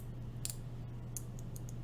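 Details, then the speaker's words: Green clicky switch (Gatistotles, 80 g springs) in an LJD61up v1 carbon fiber keyboard: a handful of sharp, crisp clicks over a low hum, and this one clicks cleanly. "There we go, that's a clicky one."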